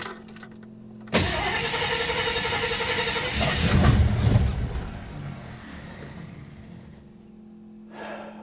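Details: 1967 AMC Ambassador after fuel system repair: catches after a crank, surges once, then sags and dies within seconds; it won't stay running.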